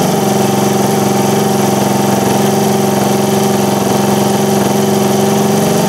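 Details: 1978 Indian moped with an unusual four-stroke single-cylinder petrol engine, first start after fitting the air cleaner, choke engaged: ticks over at a steady, even beat with no misfires or odd noises; healthy normal idle.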